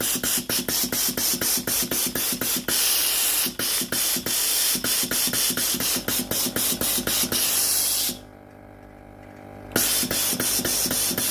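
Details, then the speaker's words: Philips GC9622 steam iron after solenoid water valve repair and reassembly, water supply button pressed: rapid regular steam hiss spurts about four a second, pausing then resuming evenly; steam comes out normally. "When the machine is ready to use, press the water supply button. Steam comes out normally."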